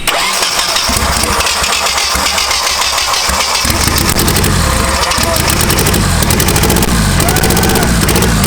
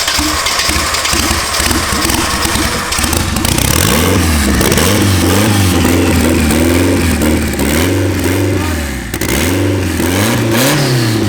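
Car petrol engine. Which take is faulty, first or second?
first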